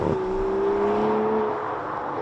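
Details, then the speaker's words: 2020 Aston Martin DBS Superleggera with carbon ceramic brakes (410 mm front rotors, 350 mm rear): a steady high squeal rising slightly in pitch as the car slows once the brakes get hot; brake squeal. "However, can you hear that squealing sound? It's not the cameraman, that is the brakes. When you get a bit of heat into them, they just start making all sorts of noises."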